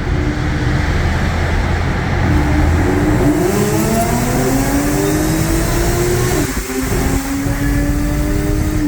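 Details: Audi A6 3.0T with test pipes and a new Gibson 55106S anti-rasp muffler, driving through a short tunnel: deep smooth note rising in pitch, no rasp; owner notes idle getting quieter, maybe valves adjusting.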